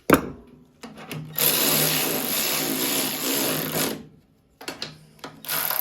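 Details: Ariens 1336 Pro snowblower electric chute motor after cost-free teardown repair; smooth, even high whir for a few seconds with no grinding or stutter, then stops; sounds healthy, chute motor working.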